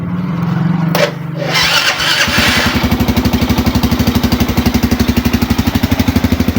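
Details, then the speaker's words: Suzuki Smash motorcycle, electric start after a new starter bendix was fitted and the battery charged: brief starter whir, catches in about two seconds, even idle; it had failed only from a flat battery; normal start. "nah nah mantul kan udah nyala ya kalau ini gara-gara akinya tekor doang nih"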